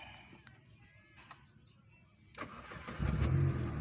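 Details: Peugeot 206 that had been dying suddenly, with the ECU blamed, started after an ECU service using new data while the check-engine light was on at key-on. Quiet cranking for a couple of seconds, then it fires and settles to a firm, steady run; a normal, clean start.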